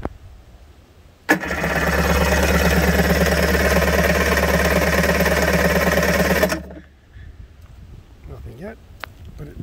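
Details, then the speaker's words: 1991 Kawasaki 550SX jet ski, first start attempt after six years storage with stabilizer and fogging spray, new topped-up battery, fuel on, choke on: about five seconds steady starter cranking roughly three turns a second, no firing; cranks but won't start. "let's move this cowl out of the way if i could remember how to start this it's been so long okay so fuel on choke on"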